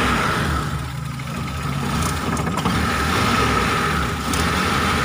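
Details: Mitsubishi T120SS fuel-injected, hard starting, sputtering and high fuel use: idle wavers and stumbles with odd sharp pops, uneven beat; rough idle misfire.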